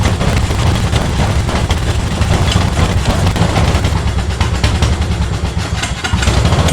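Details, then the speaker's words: Yard Machine mower, sat outdoors for two years, before its second carburetor cleaning: loud, uneven low chugging with ragged stumbles; the small engine runs but keeps spitting and sputtering. Cause not yet confirmed, more diagnostics planned. "oh she runs she's still spitting a sputtering song so i'm gonna do some more diagnostics diagnostics and we'll come back see what happens"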